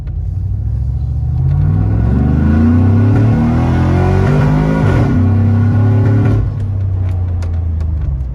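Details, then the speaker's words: 2008 Chevrolet Trailblazer SS V8 under hard acceleration: climbs through revs then stumbles and breaks up near the top before recovering; misfire with backfire, owner suspects spark plugs or coil, not confirmed. "all right so i don't know if you guys could pick that up on video but it was definitely doing exactly what i'm talking about with the misfire"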